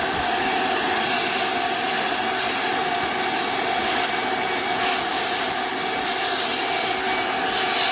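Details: Small engine: a high, steady drone broken by brief stumbles about every second, sputtering at high rpm. The cause is not confirmed.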